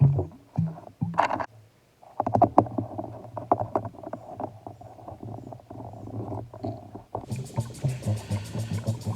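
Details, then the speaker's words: Pentair pool pump running after reassembly with one o-ring forgotten: irregular gurgling and sloshing as air leaks in, no water entering the lid, pump cannot prime. "now you'll notice you can hear some gurgling in the background that is because i made a big mistake right here and forgot to put in one of the o-rings which i'll find out in just a minute as i try to test the pump"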